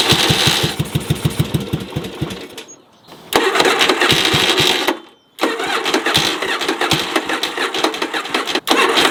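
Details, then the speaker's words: Yamaha Virago cafe racer project motor: lopsided, chuffing idle on a single firing cylinder, the second cylinder firing only occasionally, getting louder, then popping when it drops out; misfire on one cylinder, cause not yet found. "can't tell, that's only a single cylinder. The second cylinder occasionally fires. You can hear it firing, the bike gets louder, and then you can hear the popping, which is the cylinder not working."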